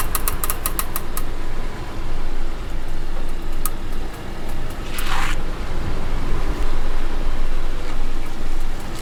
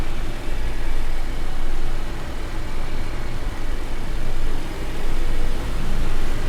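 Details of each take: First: Wheel clicking noise on a car: sharp, quick ticks over road rumble that follow wheel speed; cured by cleaning the hub and disc mating faces with brake cleaner and refitting the wheel, nuts torqued in a star pattern. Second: Car wheel after cleaning wheel and disc faces with brake cleaner and refitting with nuts tightened in star pattern: steady road rumble swelling and fading with speed, earlier clicking gone.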